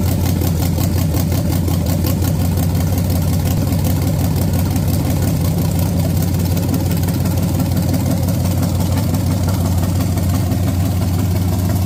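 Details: Junkyard-built SBC 350 for 1984 Camaro, hydraulic flat tappet mystery cam, Vortec heads, GM Performance intake, first run on engine stand: deep steady V8 rumble at fast idle, no knocks or ticking; runs cleanly.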